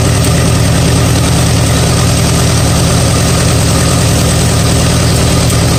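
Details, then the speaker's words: 1959 Allis-Chalmers D-17 tractor after rewiring, with good oil pressure suggesting a sound bottom end, charging about 13.3 V: steady low idle with an even beat and no knocks. Normal idle. "I'll tell you what I'm really happy to see that we have good oil pressure that meets the bottom end of this motor is it good in other words this tractor has a lot of life left in it"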